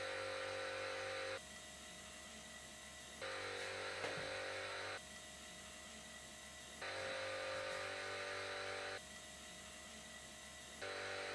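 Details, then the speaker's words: "Silent" workshop air compressor recorded at the same camera distance and settings as a quiet one. Steady whirring pump with a high whine, loudness stepping up and down; tone changes when air is let out, sometimes quieter when tipped forward: excessive compressor noise. "i really can't live with the sound it's too loud it's not definitely like a normal compressor but it's very annoying"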